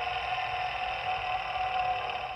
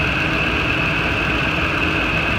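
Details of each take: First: Old serpentine belt tensioner pulley from a 2008 Ford F-250 spun by hand: steady rough, gritty whirring; worn bearing grinding, which caused the belt squeak and noise. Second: Ford F-250 idling after a serpentine belt tensioner replacement: steady, even idle with a constant whir. The growling noise the old tensioner made is gone, and it runs smoothly. Normal idle.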